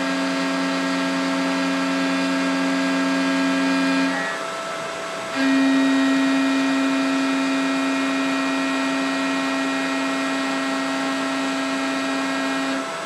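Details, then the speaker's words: Mikini 1610L mill after replacing the BLDC motor and loose-pulley drive with an AC inverter-duty motor and Hitachi sensorless vector VFD, cutting aluminum with flood coolant: clean steady spindle tone, short pause then same pitch; normal spindle cutting. "now you can see spindle sounds really good cut sounds good it feels like it's more rigid somehow I don't know"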